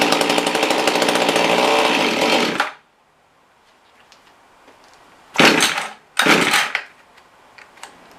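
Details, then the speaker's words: Mantis rototiller two-stroke that runs but won't rev: loud buzzy rasp, then dies as soon as slight throttle is given, short bursts follow; stalling traced to wrong/bad carburetor gasket. "see as soon as you get a gas granted i gave it very little gas just dies"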